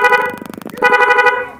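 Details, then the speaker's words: Newly installed horn interrupter relay test on a car: loud twin-tone horn blares, breaks into rapid pulsing bursts, then holds steady again; horns and interrupter relay working properly. "Nah, sobat-sobat, seperti itu ya suaranya, jadi bagus ya."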